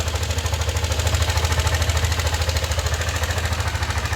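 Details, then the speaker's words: NMAX V2 scooter with a crushed camshaft bearing. A heavy, regular clattering knock about three times a second sits over the idle rumble, said to be louder on cold start: worn camshaft bearing clatter. "So maingay talaga makalansing ayan. So mas maingay daw nga yan pag buo ng start eh."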